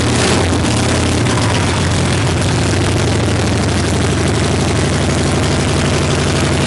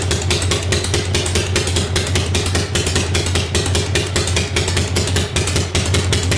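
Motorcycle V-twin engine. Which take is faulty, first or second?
first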